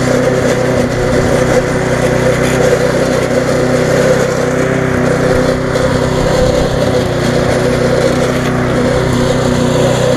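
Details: Viking (Stihl) mulching mower, Briggs engine with refurbished classic carb, after repair: strong, even drone holding steady speed while cutting, no misses, surging or knocks, running healthy, slightly fast.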